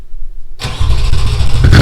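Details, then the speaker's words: Audi B6 S4 with VF Engineering supercharger, true cold start after flashing Jackal Motorsport base tune, not run for a while, camera at rear of car: brief crank, catches cleanly, settles into strong steady idle; normal cold start. "i guess the moment of truth is let's hear a cold start a true cold start"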